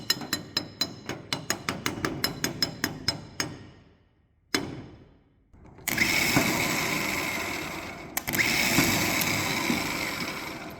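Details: Abandoned supercharged 1965 Ford with a lubed starter: a run of sharp clicks, then a high free-spinning whir with no cranking beat, as the starter spins without engaging the flywheel.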